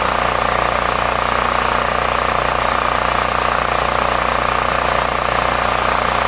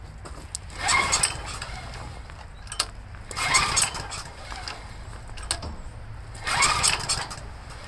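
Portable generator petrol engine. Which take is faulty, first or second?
second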